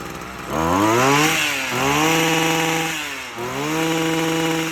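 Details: Stihl FS45 trimmer after carburetor replacement and tune-up, gapped spark plug, started with choke then choke off: engine catches and revs cleanly three times, pitch climbing and settling evenly; normal running.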